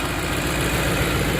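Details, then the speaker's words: Ford F-150 4.6 V8 with many OBD2 codes and suspected timing issues, at idle after the rattle has gone and oil pressure reaches the timing chain guide tensioners: a steady, even low rumble with no knocks or rattles, idling smoothly. "so when it was uh when that rattling goes away and you start it up you know your oil pumps pumping well into those guide tensioners so i mean she's smooth as glass i mean idling perfect"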